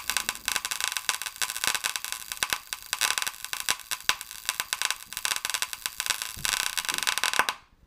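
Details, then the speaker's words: Paradigm PW 2100 v2 subwoofer amplifier powered outside its case: sharp irregular pops and crackles in bursts over hiss from a short on the circuit board, with smoke and electrical smell; fire hazard. "as you see there that's what the noise is somewhere in that circuit board we're getting some cracking and some popping doesn't smell so bad smells like electrical letting the smoke out"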